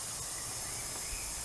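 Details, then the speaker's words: Leak-down test with cylinder at top dead center, valves closed and holding, engine off: quiet steady air hiss passing the piston rings into the crankcase, judged normal, with dry cylinder walls likely. "well it's normal because it might be going past and rings a little bit did have dopey oil"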